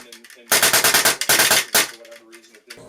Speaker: when you hear a bit of like a raspberry farting sound coming out of your engine that's going to be your disconnector it is not engaging enough the worst case of this is your gun or kythera just shooting basically full auto with air